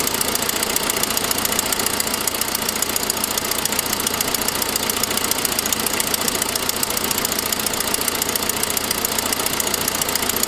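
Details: 2006 Saab 9-5 with a fast, crisp ticking over a steady idle. It follows an earlier noisier turbo sound. Cause: the forwardmost exhaust manifold stud had broken, a fairly common fault, giving an exhaust manifold leak.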